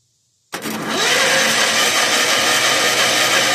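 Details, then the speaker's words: 1981 Allis-Chalmers 912 Hydro tractor, Kohler K301 engine, new generic carburetor, battery apparently dead so 12 volts applied directly to starter from jump box: starter churns hard at fast even pace, never fires; no fuel in bowl yet; owner unsure if starter solenoid. "No fuel into the bowl yet. Maybe my reel. Maybe my starter really doesn't matter. Start solenoid."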